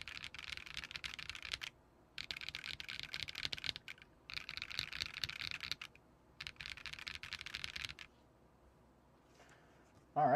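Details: KBMG68Pro (FK680 Pro) CNC acrylic gasket-mount keyboard with hot-swap sockets, PC plate and 3.5 mm dampening: quick bursts of crisp, even keystrokes with no ping or scratch. A creak noticed elsewhere is not heard while typing; sounds good.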